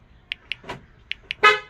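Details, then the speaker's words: 2007 Honda Accord key fob after battery replacement: two pairs of short sharp horn chirps with a door clunk between on locking; fob and keyless entry working normally. "Alright, to test it out. Oh, you hear the beep."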